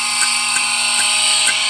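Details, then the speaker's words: 2009 GMC Sierra AC system under vacuum during recharge, holding about 30 on the gauge; steady high whine with sharp clicks two to three a second, like a bug zapper, as moisture is drawn out. Normal. "notice that his compressor is making like click-click cells whenever you know it sounds like like bugs in a bug zapper or something so whenever you hear that this Noah's natural is just sucking out you know moisture"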